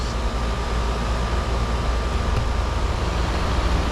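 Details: Outdoor AC condenser running after replacing a bad run capacitor and the outdoor fan motor: an even low compressor rumble with steady fan rush and a faint constant hum; running smoothly.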